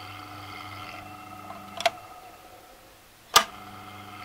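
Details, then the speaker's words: Restored 1960s Mistral exhaust fan, 1450 rpm motor with new NSK bearings: quiet, steady hum, faint whir and a few clicks, slight noise probably from the back bearing; normal motor running. "But, got the motor all back together and working. Dead quiet. I mean, a little bit of noise, but it's much better compared to what it used to be."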